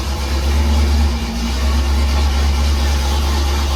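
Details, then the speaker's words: 1968 Pontiac Firebird, restored after decades sitting, not run all winter, cold; after moving battery cables off the fan; deep steady rumble at raised even speed, no knocks or misses; normal cold fast idle. "Yeah, much better. I'd let it warm up for a minute and it'll come off the fast idle. But it works."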